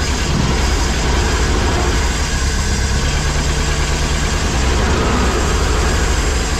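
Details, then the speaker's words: Pinzgauer idling cold after fuel pump replacement, first run in about 3 years: deep, steady rumble holding an even idle with no misses or hunting; normal idle. "I like that you you could let it warm up it hasn't been warm in a long time that's awesome"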